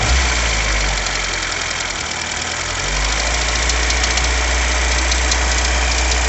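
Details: VW Jetta Mk2 at idle: a rapid, fairly regular knock of roughly three to four a second over the engine's hum, origin unknown; engine knock.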